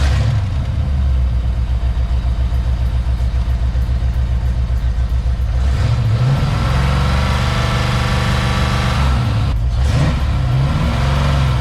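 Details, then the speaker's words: Ford Mustang Foxbody after a GT40 intake install: steady idle with a faint, occasional stumble in the low thrum; a slight remaining miss, better than before, cylinder test to follow. "Yeah. It's definitely better than before. Yeah. All right, guys, so Matt still heard a little bit of a miss. It definitely sounded different."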